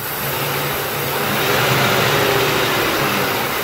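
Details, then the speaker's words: 2002 Ford F150 XLT 4x4 with codes P0171/P0174 (running lean): steady idle whose revs lift when the leak is found. The vacuum leak is traced to a hose at the back. "Oh you hear that right there that basically says right there that we found out we found our culprit the leak is coming from the back of this here"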